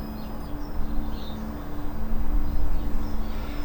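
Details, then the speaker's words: Polestar 2 (UK) stationary, with the Acoustic Vehicle Alerting System supposedly enabled; only a faint, steady low two-tone hum under birds and outdoor noise, not matching the expected sound. Very faint pedestrian warning sound. "you can hear that some kind of sound is emitted it's very very low though um and i don't think it sounds exactly like the sound that we're expecting"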